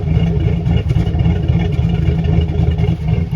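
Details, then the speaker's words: 2008 Chevy Silverado 4x4 5.3 V8 with aftermarket cam and Flowmaster mufflers with turndowns, after low-oil-pressure fix: loud lumpy burble rising and falling with throttle, no valvetrain ticking; sounds healthy. "He put some flow masters on this thing with some turn downs."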